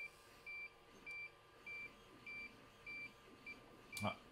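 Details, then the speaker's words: DJI Geyser cinewhoop radio after quad connects (green light): high beep about every half second warning the throttle stick is up; lowering the throttle stops it so the quad can be armed. "you see now we have the green light and you still hear the beeping that beeping is actually now the throttle being up so we'll turn that down and that'll make sure that we know now we can arm the quads"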